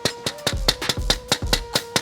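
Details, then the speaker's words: 2023 Range Rover full-size trim panel, thin bare plastic with no vinyl, carpet or deadener, only reinforcing ribs: about ten sharp hand taps ring hollow and plasticky; an undamped panel resonating, found during sound treatment. "I mean, you can just hear, and I mean, this is basic, right? But it's just really thin plastic, no vinyl, no carpet, no nothing."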